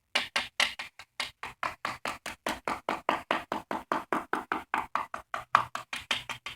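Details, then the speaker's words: Tapping test on the floor and walls of a drained pool: some strikes sound dull and hollow against solid ones, marking spots where the plaster (marcite) has come loose from the shell and must be cut out. "There is a spot on the wall right there. There is a spot here. You listen, you can hear the difference."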